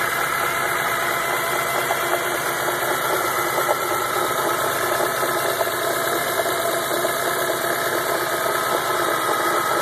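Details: 2004 BMW E46 M3 restarted an hour after a normal drive: uneven, buzzy idle drone with irregular stumbles; it sputters when pressing the gas, service engine soon light is on, and a vibrating sound is heard.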